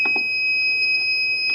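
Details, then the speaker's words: Brand-new Ender 3 3D printer, dead after about 10 minutes: nozzle touched the heated bed, sparked and fried the square chip on the mainboard; with power on, a loud, unbroken high-pitched buzzer tone sounds and there is no input. "and this is what it being dead it sounds like it looks like so the powers on motherboards connected the buzzers going off and there's no"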